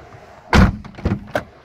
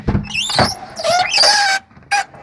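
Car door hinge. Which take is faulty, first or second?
second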